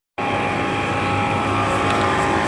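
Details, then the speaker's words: Under-gallon water dispenser (Miyako/Artugo) that doesn't cool: steady, even whir of small cooling fan spinning freely; fan works, but cold side not chilling, peltier suspected broken or unpowered. "Kipasnya putar, ya. Jadi, kipas nyala, kondisi nyala"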